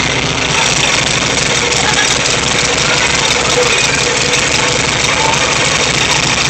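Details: VW Type 3 1600 cc single-port engine, first start after rebuild: loud, busy air-cooled idle with a steady even beat and lots of top-end clatter; freshly rebuilt engine idling normally.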